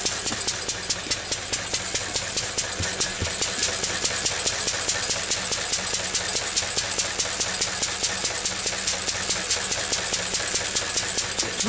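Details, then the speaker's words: Lister D single-cylinder engine running sweetly, checked with a digital tacho; crisp, even beat around two and a half per second, steady speed with no misses or hunting; normal running. "quite nicely at that as you can hear it's a nice speed for it"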